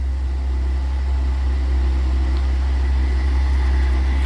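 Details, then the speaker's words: Atwood 7916-II propane furnace (16,000 BTU) on hot-wire test: igniter clicks, propane lets in and the burner fires, building to a low, steady roar with even fan hum, no knocks or surges; normal running with hot air coming. "now it's going to fire up and if we give it a little bit longer you'll hear it get a little more roaring and there we go it's kicking up a little bit further"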